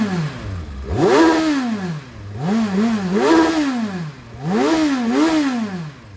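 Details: 2018 Kawasaki Versys 1000, 15,218 miles, just started with the engine temperature still registering, 20°C outside: three crisp throttle blips, revs rising and dropping cleanly with no knocks or rattles; healthy, free-revving engine.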